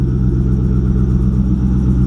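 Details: Late-model WS6 Trans Am, 5.7 LS1 with stock manifolds, stock downpipes and GM catback, idling after winter storage: deep, steady V8 burble with an even beat and no knocks or misses; healthy idle, though a squeaking pulley is noted.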